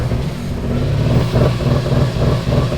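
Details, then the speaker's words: Friend's drift car engine being readied for an event, after a change meant to fix it: lumpy, uneven idle with a loping beat and dropouts in the exhaust pulse, running worse than before; misfire on two cylinders. "How is it running worse? It's literally worse than before."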